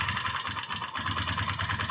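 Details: TVS motorcycle with fuel tank and seat removed: quick, light metallic ticking over a rough idle, keeping pace with the engine; tight valve tappet clearance also lowering compression.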